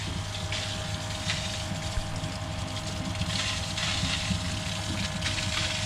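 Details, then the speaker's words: Pond pump, apparently an Aquaforte on an upflow filter, making a washing-machine-like steady low churning rumble with a bubbly hiss and throwing out bubbles. The owner suspects it is pulling in air, though no leaks or pond level loss were found; two pipes run underground. "So it looks as though it's pulling air in from somewhere. I have no leaks anywhere on the system that I can see, although two of the pipes go underground. No loss in pond level water, but just a washing machine kind of sound coming from the pump."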